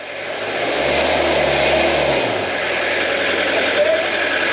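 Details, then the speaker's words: Peugeot P4 (Mercedes G Wagon-based, ex-French army) 2.5 Peugeot diesel under restoration, throttle blipped while exhaust is checked: diesel rattle swells smoothly and eases back to steady idle, no misfire or knock, exhaust clean; normal revving. "clean as a whistle right perfect so there we go it shows you how good these little 2.5 Perse engines really are"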